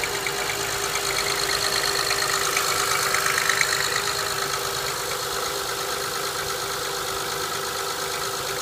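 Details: 2005 Honda Accord EX V6, 131K miles, after cold start: fairly even quick tapping, near three per second, over a bright hiss at idle; owner suspects piston slap, unconfirmed.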